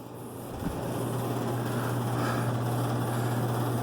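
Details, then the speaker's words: House HVAC blower motor that would not start, restarted by spinning the motor by hand with thermostat on cool and panels off: short spin-up then steady low hum and even airflow rush, no scraping or rattle; blower running fine. "All right, now listen. You can hear it working. All right, the air is blowing."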